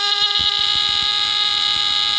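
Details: Tanita Mfg. Co. No 2 Fire Alarm (a heat alarm rated 145–165 °F, running on one D-cell battery), sounded by pushing the test strip on the bottom: a loud, steady, high-pitched buzzing tone held about two seconds, then cut off; the alarm horn works normally.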